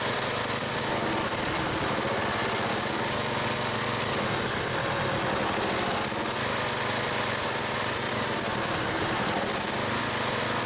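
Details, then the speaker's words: Small log splitter engine on a cold day, Seafoam added, splitting firewood: steady, even drone at constant speed with no misses, knocks or surging. The owner once suspected an engine problem, but it runs smoothly. "nothing wrong with that engine that engines running good I put some seafoam in it and boy not bad at all"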